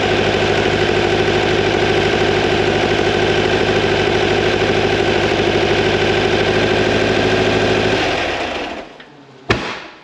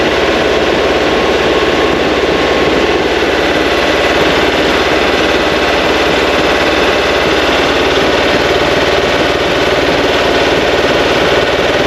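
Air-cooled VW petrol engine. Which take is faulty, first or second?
first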